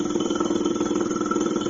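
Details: Classic car A/C being converted from R12 to R134a: the vacuum pump buzzes steadily with a quick even pulse of about fourteen beats a second, labouring because the low-side fitting was opened; its pitch changes once sealed.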